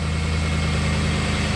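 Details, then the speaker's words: Ram truck at cold start, under the hood: quick, even ticking over the engine rumble from an exhaust leak, not lifter tick. "That is an exhaust leak. You can hear it, look, you hear it on this side. You hear that ticking right there? That's an exhaust leak. That is not a lifter tick."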